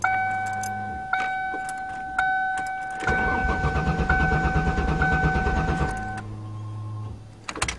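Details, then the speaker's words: 1994 Ford Taurus wagon, first cold start after refitting fallen gas tank and reconnecting fuel pump plug: door chime, about three seconds steady cranking that never fires; no fuel, owner suspects gas was stolen, tank empty. "I hope the gas isn't stolen out of it I wonder does it gauge work a I bet someone did steal the gas bastards"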